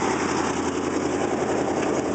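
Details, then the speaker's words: 1988 Chevy R30 454 TBI V8 dually, recently tuned up after sitting 4 years, just started at idle: loud raw rasping chuff instead of muffled burble, exhaust leak from broken hanger dropping left-side exhaust. "the exhaust is in dire need of replacement because, well, one of my hangers broke and dropped the whole left side exhaust, so I'm gonna have to fix that."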